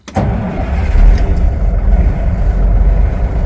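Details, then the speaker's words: M916 camper, Cummins 400 Big Cam 3 diesel with Caterpillar 7155 16-speed transmission: a real cold start with exhaust temperature at 60 degrees; brief crank, catches instantly and settles into a steady low rumble; starts like this in any weather, healthy. "It starts like that all the time. I don't know how to describe it. It's actually quite impressive. Doesn't matter if it's 20 degrees outside or 100 degrees outside."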